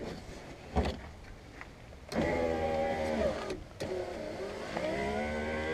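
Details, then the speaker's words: Power window motor whines in bursts, pitch sagging as it labours, then stops short as the glass binds in its rail on the way up; the window shifts and catches against the rail though nothing was found in the rail. "you clearly heard it as it went up there it did the same thing and then it jams right there"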